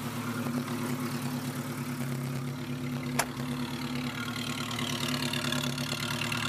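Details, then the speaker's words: 1976 Chevrolet Chevette 1.4L automatic, just bought, idling: steady, quiet, even low beat with no misses or knocks; no smoke, runs well, needs a transmission vacuum modulator. "No smoke. Runs like a champ. Actually runs really quiet."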